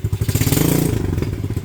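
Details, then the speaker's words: Venom Madix 125 quad with PZ20 carb, persistent carb problem: small single idles with uneven thumps and dropped beats after a throttle blip, missing a bit at idle; may need more warm-up, air screw adjustment hasn't helped, cause unconfirmed. "It's missing a bit,"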